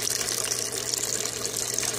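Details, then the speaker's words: Aquaponic bell siphon with no 90° elbow fitted: steady rushing, gurgling flow as water reaches the inner bell level and discharge starts, with the venturi audible below; the siphon is draining properly. "A água está chegando no nível. Vai começar a descarga. Vou descer aqui para vocês verem. Começou a descarga, pessoal,"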